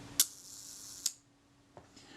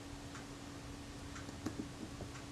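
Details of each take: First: Synchro Compur shutter from a Kodak Retina IIIc, being serviced for oil contamination, cocked and fired at the 1 s setting. A release click, a fine buzzing run-down, then a closing click in under a second: it runs fast, so the retard gear train needs more engagement. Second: Synchro Compur shutter from a Kodak Retina IIIc, fired at 1 s after the retard gear train was swung inward for more engagement. A crisp opening click, then a closing click about a second later: slow speed now times close to correct.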